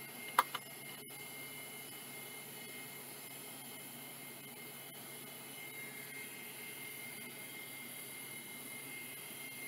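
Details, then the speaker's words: Vintage Mitsubishi hard drive labelled bad: faint steady spindle whine with a couple of light head clicks at start; runs evenly, seems to work and parked heads at power-off. "well that seems okay yeah it even returned to park when I turned it off wow okay that one seems like it's working"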